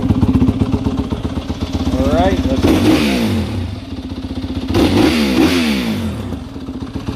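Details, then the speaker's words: 2020 Yamaha WR250F dirt bike after break-in, freshly changed to AMSOIL 10W-40 dirt bike oil: the single-cylinder crackles at idle, then rises and falls cleanly through two quick revs without rattle, sounding healthy. "we're gonna do our uh our final revs what she sounds like here"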